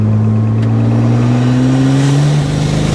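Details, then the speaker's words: BMW N54 turbo swap in an E30, with replaced turbos: pulls hard in low gear at high boost, then stumbles and loses drive as cylinder 3 misfires again; coils, plug gap or injectors suspected. "yep just happened again let's pull over really quick cylinder three yet again"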